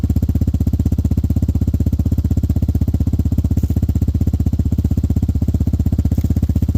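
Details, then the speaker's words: Hawk 250 (Hawk DLX) with EFI, fitted with a new Pro Circuit performance muffler with no baffles or restrictions. Loud, very even exhaust pops at a steady idle, no misses or mechanical noise. Normal idle. "No baffles in it, no restrictions. So we're going to fire this thing up and let y'all hear it in a second."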